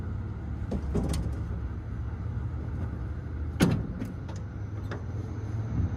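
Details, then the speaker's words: 1962 Chevrolet pickup, sidelined about 20 years and last run on propane, cranked through poor wiring: low, steady, even engine turnover on the starter with a few clicks and no firing; healthy starter cranking. "okay well that's a plus somehow we're making enough connection through these crappy wires to actually kick that starter"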